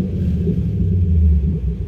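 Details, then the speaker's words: Chevy Camaro V8 after repair, which had shown Service StabiliTrak with codes P0174, P0202 and P0302 and a rough idle with a slight knock. A deep, even idle with light throttle and no more misfire. Normal idle. "i'm gonna just ease into the gas that is steady no more misfire"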